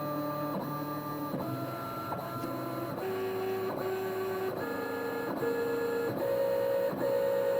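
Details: Hybrid stepper on CNC axis under load test, feed rate climbing from about 50–60 inches per minute with rag friction applied; clean stepped tone climbs pitch in even jumps with steady rhythmic chatter; motor running normally.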